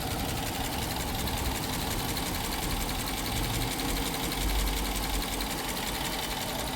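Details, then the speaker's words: Dodge Durango 5.7 Hemi V8 auction vehicle, oil level okay, stock exhaust: light, fast, even tick over a steady idle; owner suspects an oil issue, exhaust leak or, worst case, a lifter. "so it's either going to be some sort of oil issue or a um exhaust leak or worse come to worse, a uh a lifter."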